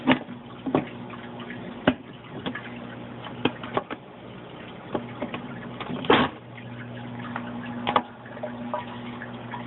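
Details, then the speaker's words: Rio 2100 submersible return pump in an aquarium sump: quiet steady low electrical buzz, fridge-like, with water trickling from the wet/dry filter; normal pump noise, slightly reduced with the sump cover on. "so that buzzing sound is the pump"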